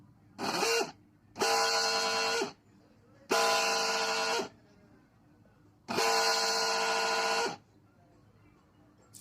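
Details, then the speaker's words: Mixer grinder motor run in four short bursts, loud harsh high whine from a worn bush bearing with excessive play, bush turning with the shaft, before bush replacement. "ఎంత sound వస్తుందో bush దగ్గర అయితే play చాలా ఎక్కువగా ఉంది అంటే soft తో పాటు బుష్ కూడా తిరుగుతుంది"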